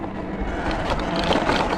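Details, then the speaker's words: Talaria MX5 electric dirt bike on single track in eco mode at about 12-13 mph: a loose buzzy rattle from the lid on top of the battery, which goes quiet when the cover is held by hand. "Y'all hear that rattle with the lid on top of the battery."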